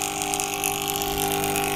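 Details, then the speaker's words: Aquarium air pump running: loud, steady buzzing hum with fixed tone, very noisy but giving no air at all; clogged pump chamber. "मैं problem आ रही है कि आवाज बहुत ज्यादा कर रहा है और एयर बिल्कुल भी नहीं दे रहा है"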